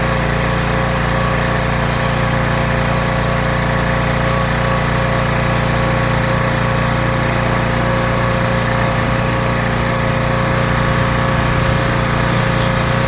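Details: Rebuilt pressure washer small engine with a known leaking manifold, spraying dirt off a car wheel: strong, even drone under pump load with no surging, misfires or dips; runs really well, normal running under load.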